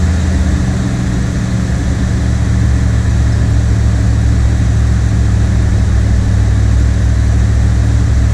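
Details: 1979 Chevrolet Corvette C3 V8 cold start at its newly set cold fast idle speed, now correct; owner notes it sounds a little different from last time despite little adjustment. Steady, even low rumble, slightly raised idle, no misses, knocks or ticks; healthy.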